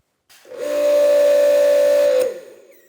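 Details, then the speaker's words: Active 2.3 electric pressure washer: a sharp high squeal of about two seconds on every trigger pull, new since earlier, along with a slightly longer start delay; cause not identified. "you hear the squeak so something's going on that squeak wasn't there before but it's definitely doing it every time"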